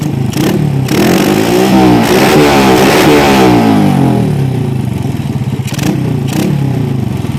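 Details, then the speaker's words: Honda Supra Fit motorcycle, carburetor swapped from PE28 to PE24, being set up: small single revs up hard then falls back ragged; mixture still mismatched in mid to high rpm. "There is still a discrepancy in the medium to high rotation, Bro, OK."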